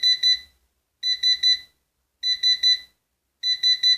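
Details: Orvaldi INV-12-840W UPS (error F05, no 220 V output; shorted IRF3205 and KGF75N65KDF transistors found), test-run after repair with the board loosely mounted: continuous high-pitched beeps in groups of three about every 1.2 s, cause unknown (possibly fans or temperature).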